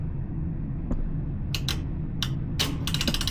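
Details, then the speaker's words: Laundromat washing machine after its broken timer switch was replaced with one from a donor machine. Low hum, ratchety clicks as the knob turns, then steady ticking as the timer advances normally and water starts filling. "Ah, look at that. It's progressing like it should, maybe."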